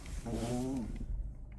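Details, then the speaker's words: Genesis G80 with the engine running: a brief low, droning moan from the steering as the wheel is turned. Cause unknown; low power steering oil possibly involved, not confirmed. "핸들에서 아 이거 무슨 소린지 아시는 분 댓글 좀 부탁드립니다"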